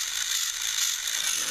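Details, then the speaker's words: TrackMaster Salty toy engine, seized before repair (it only gave a weak buzz), motor freed and cleaned, test-run off the track: high, even gear whirr with a fine ratcheting buzz and no jamming. It runs but may be slightly weak; the motor may need replacing someday. "And it still goes, but and then I put it feels like it might be a little bit weak, but I think we'll try it on the tracks and just see how it does with pulling a load."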